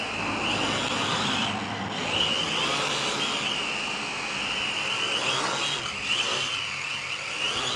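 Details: K70C Sky Warrior quadcopter test flight after replacing propellers: high steady buzzing whine swelling with throttle, no rattle or scraping; flight seems odd, owner suspects calibration, a bad motor later found.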